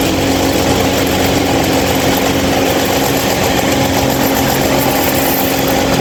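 Steady, loud rushing whir with a constant hum tone that never changes; the fan runs much noisier than it should, cause unclear.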